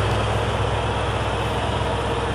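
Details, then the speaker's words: Combine diesel, cold, after five days sitting with a dead battery, jump-started from an F-150 using starting fluid in the air intake; low steady clatter with no misses once caught; normal diesel running. "right good running motor right there"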